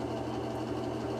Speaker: So what we can see is, starting out, we have an amp meter that's showing we're at 5.1 amps unloaded. The decibels are maxing out at 97.